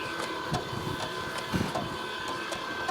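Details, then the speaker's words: WW2 Chinese FSW50 hand-crank generator (rated 25 V at 2 A or 30 V at 1 A), cranked by hand under voltage test: steady gear whir with a soft thump about twice a second, smooth and unstrained; outputs 25–30 volts, turning freely. "here's our voltage showing us that we're 25 to 30 volts"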